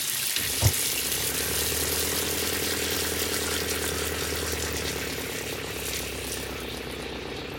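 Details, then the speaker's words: RV water pump after an intelligent RV water pump controller was installed to stop surging: water runs steady from the tap with a low, even pump hum and no pulsing, smooth down to a trickle; normal operation. "Wow, what a difference. There's no surging. It's nice and smooth, all the way down to just a trickle. I can hear it, but just barely."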